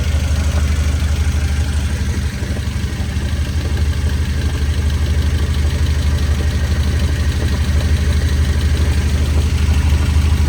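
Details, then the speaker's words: 1993 Nissan 240SX after major overhaul, heard under the car: steady idle with a fast, even knocking about three times a second near the gearbox; input shaft or countershaft bearings suspected, transmission possibly damaged. "There's something in the transmission making noise. I can hear it over here. So there's a chance this transmission might be damaged."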